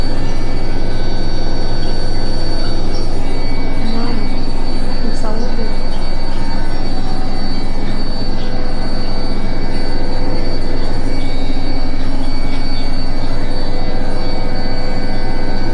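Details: Indesit washing machine during final spin: loud, continuous high-pitched squeal over a deep rumble; cause unknown.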